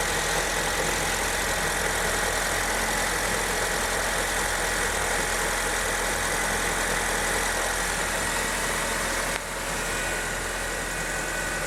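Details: 2008 Honda New Civic after power steering reservoir cleaned and fluid changed, first cold start after sitting overnight: smooth even idle with steady hum, no knocks, squeals or belt chirp; former cold bearing noise gone.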